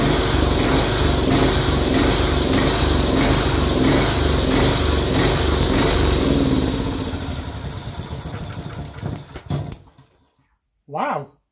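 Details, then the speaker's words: Barn-find Honda GX340 generator engine, previously no spark, running on a homemade capacitor discharge ignition: single cylinder catches and runs with a steady, even beat for several seconds, then slows and dies; normal running. "it works success that's amazing that saved me an absolute fortune"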